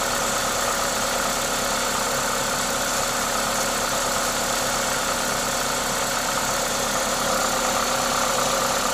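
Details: Toyota 2ZZ-GE engine with an induction kit causing the intake hiss: smooth, even engine note holding steady, no knocks or ticks; normal running.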